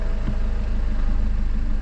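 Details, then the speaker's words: 2007 BMW 520d E60, M47 diesel, idling as it is put into gear: deep chugging idle sags under load and nearly dies, then dies in drive; faulty EGR valve causing the stalling, with a boost pressure sensor fault stored. "And now it's in the gear. So almost the engine died."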